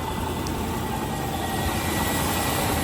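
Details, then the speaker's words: 1995 Range Rover Classic 4.2L V8 that stalled and would not start, after replacing ignition coil, distributor cap and rotor arm: fires instantly without hesitation and holds a smooth, even idle with no stumble. Normal idle. "It didn't even hesitate. Wow. I hope it doesn't die on me, but that sounds sounds really good."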